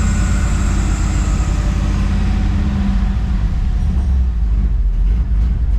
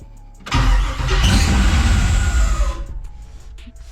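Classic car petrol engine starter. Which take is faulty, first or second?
second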